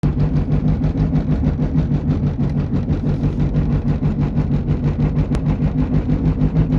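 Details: Driving: low droning hum throbbing about three times a second from a worn front passenger-side wheel bearing, confirmed by the fix.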